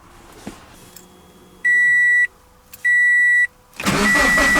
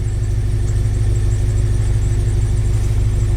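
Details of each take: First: Scion FR-S after replacing the ignition coils for misfire codes P0302 and P219A: two chimes, quick crank and catch, then an even, steady idle with no stumble or miss; normal idle. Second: Scion FRS (BRZ/86 boxer) rough idle with codes P0302 and P219A: steady low thump with a repeating stumble about every half second, a cylinder 2 misfire from a failed ignition coil, fixed by replacing coil packs.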